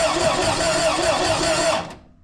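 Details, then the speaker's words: Air-cooled 2.0 VW Vanagon Westfalia cranked before its first start to build oil pressure, coil powered: even, steady cranking with a regular compression beat for about two seconds, no start, no oil pressure shown yet; good compression. "Well, the starter does turn over. So, we're looking for oil pressure from the oil pressure gauge. Trying to think if it has Yeah, it's got power cuz it's going to the coil. Sounds like good compression."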